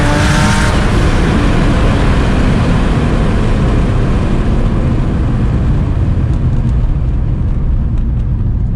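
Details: Nissan 350Z, stock HR block, single turbo, freshly street tuned at about 14 psi, fuel no longer lean: loud steady pull with deep exhaust roar, no stumbling or popping; normal turbo acceleration.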